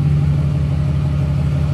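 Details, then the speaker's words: New fully built SoCal Diesel twin-turbo 1,000hp Duramax, after harness re-pinned per SoCal's instructions: deep smooth idle, even low rumble, no stumble or miss, running cleanly; normal idle. "finally [ __ ] is living oh yeah okay that was finally breathing some freaking fresh air"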